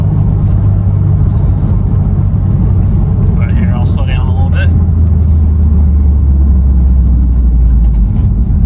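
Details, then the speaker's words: Subaru STI with Perrin short ram intake, on base map, tipping in on sandy road: deep steady drone, more intake noise, wastegate starting to open; running normally. "Definitely gives it more intake noise. You can hear that wastegate starting to open"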